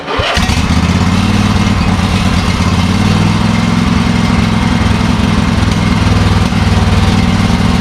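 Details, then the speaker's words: Craftsman riding lawn mower from the 2000s, sat about six and a half months with good fuel and a bad battery, jump-started on choke: short crank, then a steady, even single-cylinder beat with no misses; normal start and idle. "six months sitting in a garage with good fuel in it and a bad battery who knew since the motor runs"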